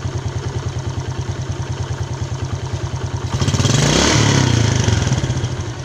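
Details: Yamaha Jupiter Z Robot idling with a harsh rhythmic clatter at about three pulses a second that persists through a throttle blip; rough engine noise, cause under analysis (one-way clutch swapped for a Vega ZR part).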